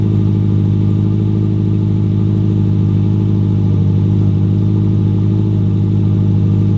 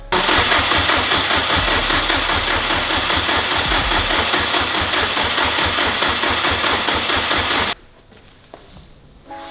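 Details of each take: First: Built Subaru WRX STI first start after fuel line fix, on jump start: steady, even low engine drone with a smooth regular beat and no knocks or misses; engine running cleanly. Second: Built Subaru WRX STI, first start attempt: steady, labored cranking at about two and a half pulses a second, then everything cuts out abruptly as the jump pack dies mid-crank; the no-start was later traced to swapped fuel lines.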